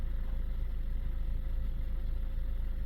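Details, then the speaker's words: Vauxhall Zafira A after clearing fault codes, with a slow start and charging voltage in the low 14s: steady, even idle with a soft regular pulse and no knocks or whine, running normally with no warning lights. "Yep. So the car's now running. Lovely."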